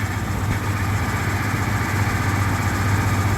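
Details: 1977 Ford F-150 idling; still 14 volts: steady even low rumble, no misses, knocks or whine; smooth idle.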